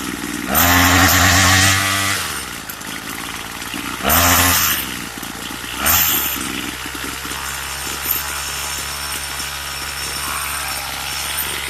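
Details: Craftsman two-stroke weedeater with an attachment fitted for drag, idle screw set low; on throttle it acts like it's stalling before it kicks in, bogging briefly then climbing to a high buzzing rev. Hesitation on acceleration, cause unconfirmed.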